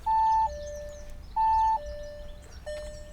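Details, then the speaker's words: Instrument cluster gong test run from a diagnostic scan tool: clean repeating gong tones, each about half a second with a fading tail, sound on command; cluster chime working properly. "A gong. To by ste mohli počuť. a gonguje"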